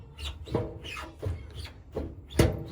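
Slow hand-turned drum gives a dull thump about every 0.7 seconds, once per turn, from the loose felt seal letting it knock.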